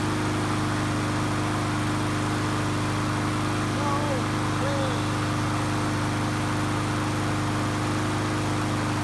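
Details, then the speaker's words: Lawnmower engine that had no compression, repaired without new parts (gasket maker, carb spray), started on choke: steady, even small-engine drone with constant low pulse, no misses or knocks; normal running. "That sounds like a lawnmower. Wow, I did not expect that to happen."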